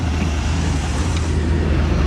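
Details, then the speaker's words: 1958 Chevy Biscayne, revived after years of neglect, idling with oil pressure about 35: a steady low, stock-sounding rumble with a faint loose rattle from the exhaust hitting the bottom of the car. Exhaust rattling against the underbody. "okay okay that is the exhaust hitting the bottom of the car it's rattling"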